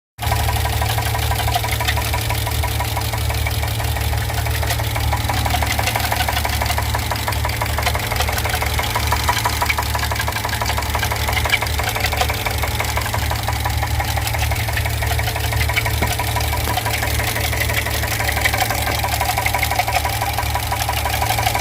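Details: 2015 GMC Yukon 6.2L V8 at idle: steady, dull knocking tick over the low rumble, about three per second; engine knock.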